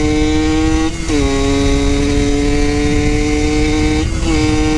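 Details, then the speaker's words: Yamaha YSR50 two-stroke on a test ride after crank seals and engine reseal fixed an air leak; runs without an airbox (owner says it sucks in lots of air at the bottom end); clean steady buzz dipping at each gear change. Smooth, normal running. "dude it's running smooth putting all my trust in these old ass tires that Brandon gave me too"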